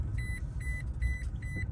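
Four short, high-pitched beeps about every half second over a low engine rumble: the seatbelt reminder going off.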